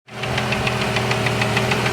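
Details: 1989 Jeep Cherokee XJ, 4.6L stroker I6 (Renix 4.0L-based, aftermarket pistons), started knocking after 700 miles with temperatures running high: sharp steady knock about six or seven times a second over rough idle; piston slap.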